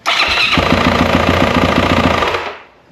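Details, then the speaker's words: 2024 Yamaha YZ450F auction bike sold as "loud engine": loud busy clatter with steady run of knocks over sharp engine note; suspected valve train, teardown later found a broken gear tooth in the clutch-side case. "But, we're going to dig into this thing and see exactly how bad it sounds like something with the the valve train hopefully. But, I don't know. There's a lot of noise from that."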